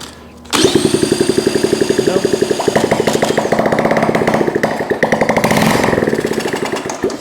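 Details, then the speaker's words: Honda ST70 single-cylinder first start in years after top-end rebuild, ignition hot-wired stator to coil, running on starting fluid only; catches and pops roughly for seconds, carburetor not delivering fuel, to be swapped. "Yeah, that sounds like it's running. Let's sort out my fuel. Okay, let's work on that carburetor."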